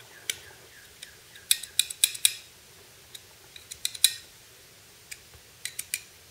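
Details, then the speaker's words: Handmade folding knife: scattered dry scrapes and clicks as the blade swings, a thin gritty rub each stroke. The off-center blade, warped when milling hardened steel, drags on the side of the handle. "Anyway, the blade is actually touching the side of the handle, and you can hear it scraping."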